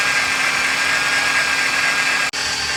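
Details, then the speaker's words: 2012 Ford Fusion at idle: thin steady whine at constant pitch; owner suspects belt or an accessory pulley, possibly a motor mount, not confirmed. "I don't know if you guys can hear that, but it almost sounds like a pulley almost."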